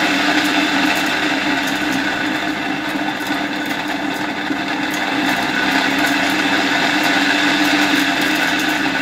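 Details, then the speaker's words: 1958 East German Omega type 1064 vacuum cleaner, original EM 87/50 K motor run on a voltage regulator: steady motor whine with a rough, gritty edge and slight wavering; heavily worn motor bearings, not yet replaced. "dobra na chwilę to wyłączyłem jak widzicie silnik działa aczkolwiek nie chodzi zbyt ładnie są tutaj jednak już mocno zużyte te łożyska w silniku"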